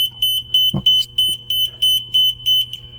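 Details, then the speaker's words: Machine's 24V DC control circuit shorts when the DC COM wire is plugged into the first pin. A sharp crackle, the power supply cuts out, then steady high beeps about three a second as the controller restarts. "이거 지금 껐다 켜져서 소리가 나는 거고 찌지거리면서 파워 서플라이도 꺼지고 아무튼 그렇게 되기 때문에 이게 지금 어떻게 되는지를 봐야 돼요."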